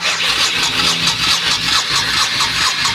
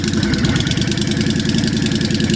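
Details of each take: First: Abandoned 1998 Honda Shadow VT1100 with carb bowls drained and refilled by the fuel pump, choke pushed, controls tampered with. The starter churns steadily at about two beats per second but it never fires: cranking, no start. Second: 1998 Honda Shadow VT1100, abandoned bike, first run with the choke turned down: steady lumpy V-twin idle with an even low beat, a little backfire and pinking but no knocks or rattles. It runs fine.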